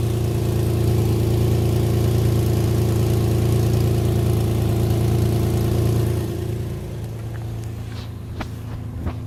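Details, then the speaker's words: Infiniti G35 petrol engine at idle: light steady tapping about three times a second, heard in the engine bay; the engine shudders when put in gear; owner suspects an exhaust leak on the passenger side behind the engine. "You put it in gear. You can feel a shudder in the car and that tapping sound."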